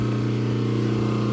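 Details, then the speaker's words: Transformer, powered on via the Fortus 400mc 3D printer's circuit breaker with the three-phase converter running: a steady, low, even hum with possibly slight vibration, heard with an ear close to it. Normal. "okay so let me put my ear on it here and see if I can hear it yep okay so the Transformer is humming and that's okay that's good"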